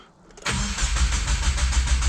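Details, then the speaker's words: 2022+ Subaru WRX, just after Mishimoto oil cooler install and priming, brief crank then catches cleanly at about half a second and settles into a steady, even idle to check for leaks; normal. "Because we're gonna start it up, let it idle for a couple seconds, make sure there's no leaks,"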